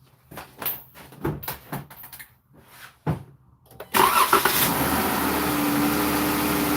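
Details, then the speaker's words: Dodge Durango after water pump replacement, started and idling up to normal operating temperature: a few handling clunks, engine catches at once and settles into smooth, steady idle with no knocks or misses. "Let's start it up and allow it to do its thing heat wise. Normal operating temperature."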